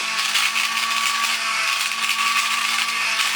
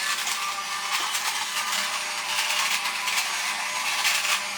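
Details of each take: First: Vintage toy robot's small motor, freed by hand and due for lube on the shaft ends, now running better. A steady high-pitched electric whir holds one even pitch with no stutter. Normal toy motor run. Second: Vintage toy robot's small motor, previously stuck, freed by kicking it by hand; it has a plastic gear. A thin, high buzzing whir runs steadily once freed. Sluggish motor running after being freed.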